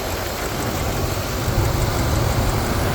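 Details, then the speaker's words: Ford 5.4L 2V V8 after head gasket repair with Cometic gaskets and ARP studs (compression 200-220), on premium fuel with a 3.5in intake: deep, even idle holds rock-solid with no misses, ticks or knocks. Normal. "you can hear the engine running here I mean it's a beautiful thing beautiful sound the idle is Rock Solid"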